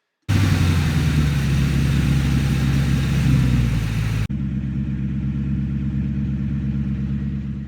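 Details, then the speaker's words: 2003 Ford Mustang GT V8 idling with open manifolds: loud deep even burble, no ticking or puffing from joints. "So I let the car run with the catback disconnected, and it was spitting out a bunch of gunky water from the blown head gasket that had accumulated in there."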